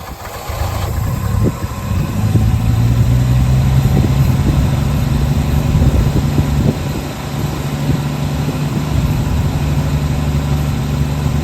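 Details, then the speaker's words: 1966 Chevrolet C10 shortbed, last licensed 1979, revived farm truck: catches then holds steady, even idle with low smooth hum, no misses or knocks; idles fine on its own. "sitting there idling on her own. That is awesome."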